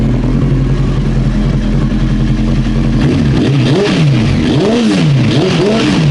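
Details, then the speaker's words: Old Honda CBR900 Fireblade, fuel tap off, waiting for the customer's reported backfiring: smooth even idle, then several quick throttle blips taken cleanly, dropping straight back; still running normally. "16-inch front wheel, I think, on these. It's still running and it's not doing anything."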